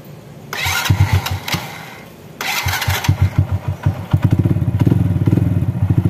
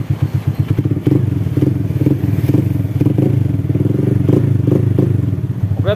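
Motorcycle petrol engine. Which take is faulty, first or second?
second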